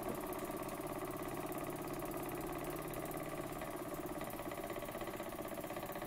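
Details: Burnac Vulcan model steam engine running under steam, with a seal needing replacement: even, regular chuffing at about three beats a second, steady with no knocks, running healthily.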